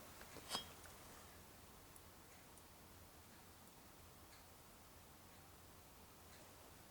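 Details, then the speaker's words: Wheel hub spun by hand with the brake disc and pads removed is totally silent, with no grinding or rumble: a healthy wheel bearing. "and this is totally totally silent and that's means now that this is excellent bearing in this wheel"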